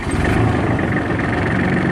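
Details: Kubota L3830 diesel tractor after its ignition switch was replaced to fix the dash cutting out while cranking: it starts and settles into an even, steady clattering idle with no stumble, and the dash stays lit.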